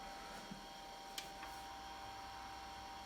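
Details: IBM PS/2 Model 70 Type 8570 powered on with a network card installed: only a faint steady fan and drive whir with a thin tone, no POST beep and no video. CMOS battery reads 1.7 V instead of 6 V; cause not confirmed.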